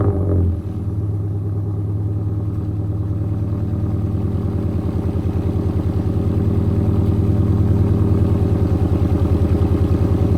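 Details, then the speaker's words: Scion FR-S with catless header, catless front pipe, Tomei overpipe, Tsudo exhaust and custom tune, first start after overpipe install, filmed under the car: steady metallic clatter about three per second over idle from a loose fastener needing tightening. "So a couple things I found. I'm rattling really bad right here, so I just got to tighten that down on"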